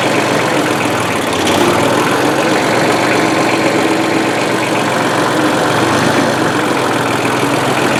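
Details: 1994 Ford/New Holland 1715 compact diesel tractor after a frozen clutch was replaced and loose tie rod ends were found, on a test drive: steady, even diesel clatter with no grinding or knocking; the tractor is running normally.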